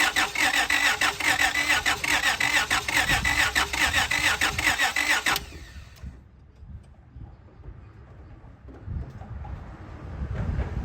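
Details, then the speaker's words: 2003 Honda Odyssey after timing belt job, cranking with spark tester on a coil: even cranking about two beats a second for five seconds, never catches; fuel, air, compression and timing OK but no spark, immobilizer blocking spark. "I got here my spark plug tester it's hooked up to a coil and I got my ground hooked up to the battery so I'm gonna turn it over and you're gonna see there's no spark"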